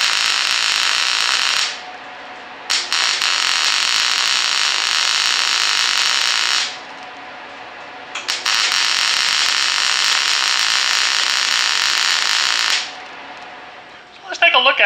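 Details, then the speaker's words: Longevity MIGWeld 250 MP welder switched back from double pulse to straight MIG with no pulse, running a bead: even frying hiss in bursts of about five seconds each with no pulsing beat. This is a normal straight MIG arc. "I'll put it back to just straight Mig you know with no pulse and I'll do a little bit more"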